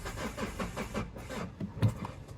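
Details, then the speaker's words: Mazda 6 diesel non-runner on a booster pack, with an exhaust temperature sensor pulled out and a pressure sensor off: slow rhythmic cranking with a few weak firing pulses that never catch, and smoke billowing. Crank, no start; a massively blocked exhaust is suspected. "Right, she doesn't start anyway. You can see smoke. Ooh. Do you see that? Okay, we have smoke bellowing out of somewhere. Okay, right, we've confirmed anyway that she won't run, so we'll go and do some little bit of digging."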